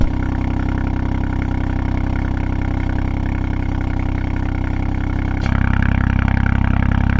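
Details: 2020 Ford Fiesta MK8 ST with Scorpion GPF-back exhaust, before the fix: even idle with a fine buzzy rattle and vibration that grows with revs. The loose exhaust flap valve was later cured with a part slid over the back box.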